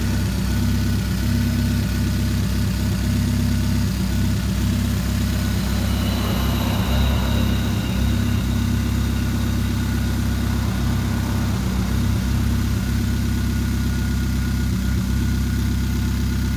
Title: Chevrolet Spark 2013 Misfire